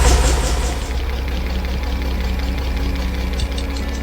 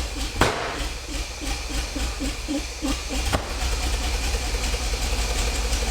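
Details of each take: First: 50-year-old petrol engine of a 1975 Bedford truck after the choke was set properly: low, even, smooth engine roar with steady rhythm and no knocks or misses; runs healthy. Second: 50-year-old petrol engine in a 1975 Bedford truck, first started during restoration, running on heavy choke: an uneven, lumpy beat with pops and surging that smooths as the ignition timing, which was well off, is corrected.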